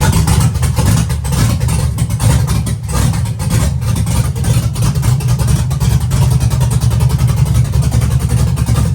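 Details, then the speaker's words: Chevy truck with LS-swapped big-cam V8, on another tune: deep surging, wavering, stumbling as throttle comes on; data log shows ignition timing falling off completely on throttle, causing unstable running. "Whenever I hit the gas pedal, it looks like it the timing actually just freaking fell off all the way."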